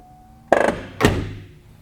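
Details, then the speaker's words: 2012 Bentley Continental power boot lid on second try: quiet motor hum then two sharp rattling clunks as the lid drops when the actuator reaches the stripped point on its gear; stripped actuator gear teeth, common Bentley fault. "This is a very common issue with the Bentleys. The motor that actually actuates the boot lid has teeth that get stripped. So when it reaches that point on the gear, it just makes that weird noise and then the thing just drops."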